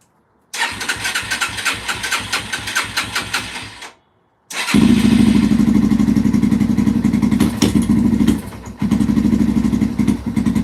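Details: 2005-2009 Yamaha TTR-230 single-cylinder, carburetor suspected after an adjustment to one and a half, tank refitted: idle thumps pick up, run unevenly, fade and stall, restart and sag again; only slightly better, still falling flat, seemingly not getting enough gas; runs great on choke.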